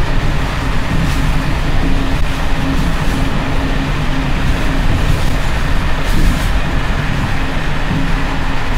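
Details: Czech Bd264 481 coach (built 1979), Görlitz V bogies many kilometres since last major maintenance, evening express on uneven line 190 between Hluboká nad Vltavou and Číčenice: heavy low rumble with loose irregular clatter over rail joints as brake rigging bounces. Worn brake rigging rattle.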